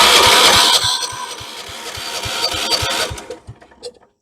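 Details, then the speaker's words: 1976 Vermeer LS200 log splitter, Kohler K301 12hp engine: starter churns about four strokes a second, no firing pop. Crank no start, no ignition power; coil feed later reads about 11.3–12 volts, breaker-point side next. "n there's no we got no ignition power"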